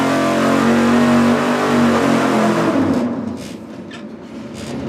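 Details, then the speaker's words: Engine dyno full-throttle pull on the 750 CFM four-barrel Street Demon carburetor, warmed up, with a changed metering rod. A strong rising roar climbs smoothly with no stumble, then drops cleanly as the throttle closes. No carb standoff seen; about 480 lb-ft. "I was watching the carburetor the whole time to see if anything strange happened like standoff or who knows what I didn't see it"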